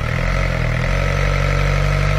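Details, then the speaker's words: VW A4 with ALH TDI diesel after a died-while-driving no-start, timing belt inspected, revved lightly: a steady, even diesel clatter with a smooth low drone that holds firm; the motor sounds good, water pump still to be done. "Okay. Yeah, so motor sounds good. Yeah, we'll do the water pump, everything else on Monday."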